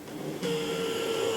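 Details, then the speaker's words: Atlas EMD S9 HO locomotive, used, DCC, non-sound, very dirty and possibly over-lubed or lubed in the wrong spots, before cleaning: no noise at very low speed, then a steady thin high-pitched whine as speed increases; suspected dry or dirty drive gear. "Now, real slow speed, it's not there. Still not there. Okay, there it is. When the speed increases, you can really hear that whine."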